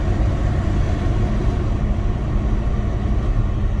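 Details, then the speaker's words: 1971 GTO Judge survivor, heater blower motor run through all three speeds over a quiet idle; steady low whoosh, even with no rattle or squeal; normal blower operation. "Alright, so all three speeds on the blower motor work."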